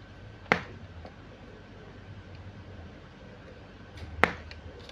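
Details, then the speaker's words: Jinbei Delicacy II (first generation) studio flash after repair of no-fire fault: fired at full power, two sharp snaps a few seconds apart each followed by a thin faint recharge whine; flashing normally. "itu om kita tes di full power ya ya memang dia karakternya begini Om ya mantap om suaranya"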